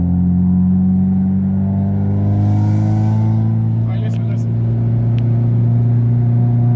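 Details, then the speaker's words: 1993–1997 Honda Del Sol with aftermarket muffler, accelerating around 3,000 rpm: deep booming drone rising in pitch, far louder than stock, radio inaudible with windows down; muffler excessively loud. "the muffler should not be this loud you guys"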